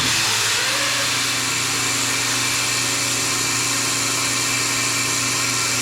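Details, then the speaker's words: Melasty single-cow milking machine vacuum pump after the carbon plates (vanes) were cleaned and the muffler serviced: steady, even hiss and hum, holding pressure, no knocks or rattles. Normal running. "now that sounds way better holding pressure just fine I'm not hearing any sort of flinking or anything"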